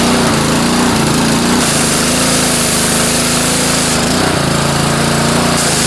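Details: Year-old Honda pressure washer that would not start after storage due to a plugged carburetor main jet, with water supply on and wand engaged: small engine runs loud and steady at constant speed, no surging or misfires; running normally.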